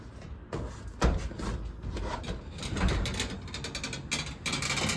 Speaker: It keeps sliding off the edge here, and then it starts to squeak. And then on this side, it's always off. So, [snorts] it's always rubbing against the the track.